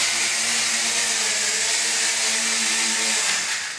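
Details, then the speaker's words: JXD 389 flying-car quadcopter hovering in beginner mode: a loud, steady high-pitched buzzing whine from small motors lacking ball bearings. The noise is typical for them. "So you can see it's quite noisy. This noise is amplified, sorry, but because the absence of ball bearings."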